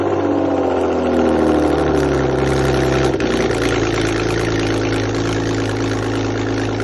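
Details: 1998 BMW E36 328i, rebuilt M52B28 six after head gasket replacement, first start on cheap break-in oil: engine catches and settles into a steady, even idle with a brief rev blip; smooth and healthy.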